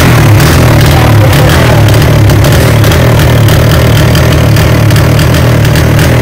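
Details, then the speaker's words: 2024-model Speed motorcycle revved with a missing problem: loud revving with an uneven, stumbling beat and dropped firing pulses; a misfire. "ठीक है, अब bike के अंदर missing problem है। हम bike को race देते हैं, आपको चेक कराते हैं बाइक के अंदर क्या मिसिंग है।"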